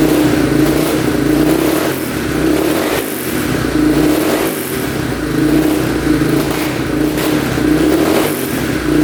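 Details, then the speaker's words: 2002 Yamaha Warrior 350 single, first run after carb clean and oil change: steady, even run with throttle blips; sounds decent but smokes heavily, owner unsure whether oil burning off in the exhaust or it needs a rebuild. "Yeah, it sounds pretty decent. It's smoking quite a bit."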